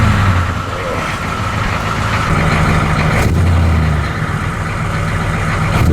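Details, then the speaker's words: 1985 M1028 CUCV with a GM 6.2L diesel, just fitted with a custom two-into-one 3-inch exhaust and a 3"x24" free-flow muffler: a deep, steady idle with a low, even burble and no rattles. Normal idle. "look at that you guys oh yeah it's beautiful custom two into one baby three inch pipe we ain't messing around"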